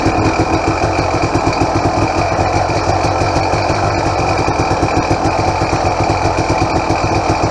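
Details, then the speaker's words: 2007 KTM XCW300 two-stroke on 50:1 premix, cold and on choke: a fast, even idle with a light, rapid mechanical chatter over the exhaust beat. Owner says the power valve is noisier than usual and was not rebuilt; a bushing might quiet it. "I've had a bunch of KTMs, and this one has a noisier power valve than I'm used to. Almost sounds Husqvarna-ish."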